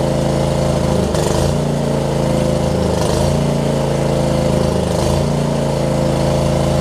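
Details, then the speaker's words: John Deere LX279 riding mower, liquid-cooled engine, just started after cranking with an empty carb bowl: rough at first, now a steady, even putter with no misses or knocks; runs healthy, hours unknown. "All right. Didn't like it when we first cranked it up. Wow, cranked it up, but seems like it's getting better. It might just be a characteristic of this liquid-cooled engine too."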